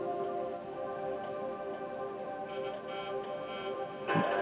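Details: Pimiga 2.0 on an Amiga setup playing a demo through an Elgato 4K capture card in OBS: music with faint, irregular clicking ticks layered over it; the clicking comes from the capture card, not the emulation.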